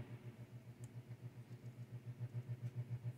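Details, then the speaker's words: 1967 Fender Bandmaster AC568: low hum throbbing about 3.5 pulses a second, strengthening, with tremolo on, louder with volume all the way down; tremolo interference, owner suspects grounding or lead dress of original wiring, unconfirmed. "louder when the volume is all the way down. So I think we have a grounding and or lead dress issue."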